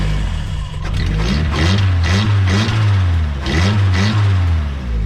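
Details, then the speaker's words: Nissan S13 turbo engine being revved with the intake removed: a rough metallic rattle rising with revs. This came after a hill run that left the hot side glowing; the turbo spins freely with no play. The owner fears a cooked turbo; the noise seems not to come from the head. "sort of sounds like a rattle of some kind though"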